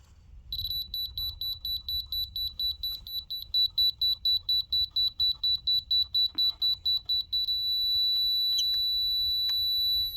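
Rapid high-pitched chirps, about two per second, then a solid continuous tone; the receiver has found grade.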